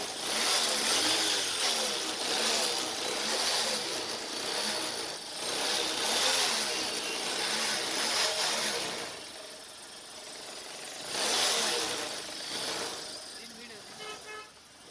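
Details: Motorcycle revs up and down with a harsh, buzzy rattle over the engine note; excessive vibration through the whole bike and rattling from the body panels, cause suspected, not confirmed.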